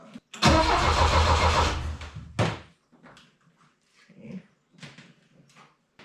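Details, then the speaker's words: Saab Sonett rally car during timing attempts in neutral: the starter spins the engine steadily for about 1.5 seconds with no catch, and a short retry is also dead; the timing light may not be picking up pulses, and they suspect a grounding problem. "why is this thing not working bump it still nothing"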